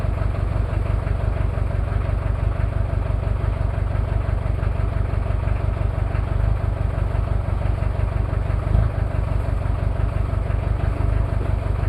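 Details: Cold start of a Toyota 2L-T diesel after piston rings were replaced without a top overhaul: steady, fast idle with an uneven, lumpy beat. Rough idle from one bad injector, with possible cylinder head issues.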